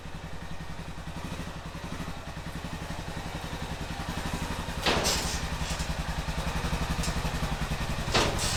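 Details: 2005 Honda TRX650 Rincon, 650cc single-cylinder four-stroke, idling after a no-start: even steady thumping with no knocks or misses. It runs well; the carburetor may need slight fine-tuning.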